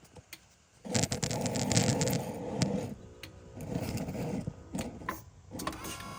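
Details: BMW E60 M5/E63 M6 SMG hydraulic pump during INPA bleeding after topping off with CHF-11S fluid: intermittent whirring bursts starting and stopping as pressure builds, clicks between runs; cycling normally.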